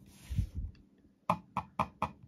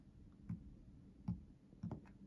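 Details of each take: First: Zowie U2-DW mouse lifted and set back down on an Artisan Hayate Otsu V2 pad: a soft thud, then four sharp, evenly spaced plastic snaps; owner suspects the top click plastic is catching somewhere; other Zowie mice stay silent. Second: Zowie ZA13-DW mouse lifted and set down on an Artisan Hayate Otsu V2 pad: several soft clean taps with no rattle, normal, unlike the U2-DW, which rattles, likely from the top click plastic interfering.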